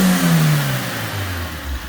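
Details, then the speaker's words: Suzuki Swift: short rev blip rising then settling to an even note, no misfire or rattle; runs properly, no check engine light. "Oh. That sounds sick. Does, doesn't it? And she's got no check engine light on at the moment."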